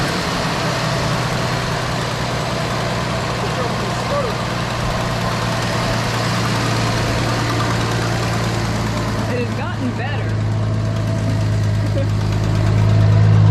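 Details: Barn-find 1973 Dodge Dart Swinger, 225 slant six, first run in 29 years: steady, even low rumble at idle with no knocks, misses or hunting; running smooth.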